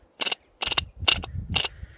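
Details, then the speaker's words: Atwood 8535-II Hydro Flame RV furnace blower motor, removed: short bursts of sharp metallic clicking about twice a second as the loose shaft bounces; bearing on one side worn out, motor being replaced. "bearings are just toast this side's okay but this side is gone so this side's not bad but you can hear the horrible noise see that thing bouncing around"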